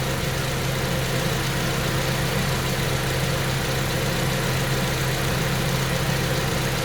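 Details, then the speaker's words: 2006 Ford KA MK1 after replacing faulty radiator fan assembly, engine idling warm: fan cuts in with an even, steady rush over a smooth idle, no rattle or scrape; normal cooling fan operation. "Now it's come on. So the fan's just coming on now."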